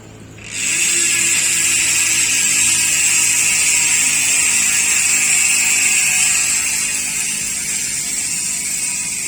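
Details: United Clovis 6.0 hardtail MTB with Nautilus Rakac pawl-less freehub, which hums instead of buzzing: loud, even high-pitched hum steady through the coast, no clicks or roughness; normal freehub sound.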